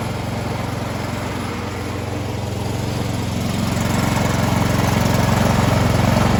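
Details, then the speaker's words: Troy-Bilt 2410 snow blower, a year old, stored all winter and previously rough at full throttle. After a quick carb cleaning removed gunk from the center rod, there is a steady, even drone at full throttle with no stumbling; it runs smoothly. "all right once i put that gas all the way up it was running pretty smooth um so i think we're i think we're good to go i just just had a little bit of gunk in there and up in that center rod that's trying to spray up into"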